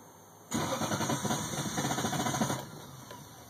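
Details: 1998 Lexus LS400 that bogged down and died on the highway, four days later; battery terminals cleaned, fuses and relay checked fine; starter cranks steadily about three to four beats a second for two seconds, never firing. Crank no start, cause not yet found.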